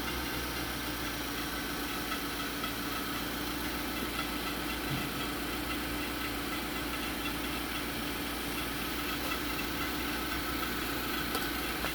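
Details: 2011–2012 Infiniti QX56 / Nissan Armada V8 at cold start and idle: steady loud whistle and light clatter from a loose timing chain; whistle eases when warm but returns on hard acceleration and above about 3000 rpm.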